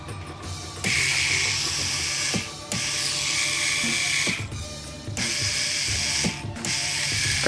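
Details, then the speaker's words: Cheyenne Thunder tattoo machine that would not switch on, repaired after a detached 47 µH coil was bridged with 1206 jumpers, motor powered through the circuit with protection intact: short bursts of smooth high buzzing whir, no grinding; runs normally. "видим всё работает при этом мы подключились не напрямую к мото а ВС как положено через схему то есть вся защита у нас остаётся работоспособной"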